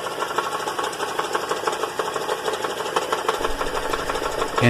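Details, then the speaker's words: GM Acadia/Enclave/Traverse engine running with a fast, uneven metallic rattle heard from underneath on the hoist; the flex plate to torque converter bolts were loose after a previous transmission replacement without thread locker, fixed by refitting with Loctite. "by now i imagine it has become apparent to you that you realize the torque converter bolts were loose someone previously put a transmission in this vehicle"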